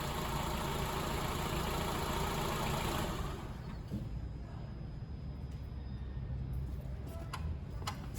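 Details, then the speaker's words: Vehicle in for A/C pressure diagnosis, idling with A/C on and electric fans disconnected to block airflow: a loud steady roar cuts out after three seconds, leaving a smooth, even idle; high side climbed to about 300 psi, so the compressor is good. "what that tells me is that when the high side pressure went up the compressor is good so on this vehicle there's no wrong nothing wrong with the compressor"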